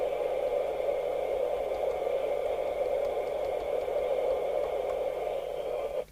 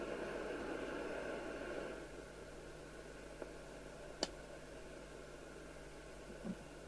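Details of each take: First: Midland 4001 UK FM CB radio after three receiver capacitors were replaced and a 23-hour soak test on channel 19: steady, even receiver hiss for six seconds, then a clean cut-off; normal receive audio. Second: Midland 4001 CB27/81 UK FM CB radio: open squelch gives a quiet, thin, weedy hiss lacking body; three faulty receiver capacitors were found and replaced to cure it.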